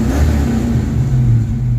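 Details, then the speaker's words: Mustang after replacing the electronics and installing the distributor and setting timing: engine revs smoothly with an even low drone and no missing or popping, a cleaner rev than before; a slight low-speed miss appears later when driving. "Well, that is a cleaner rev than it was. No missing and popping."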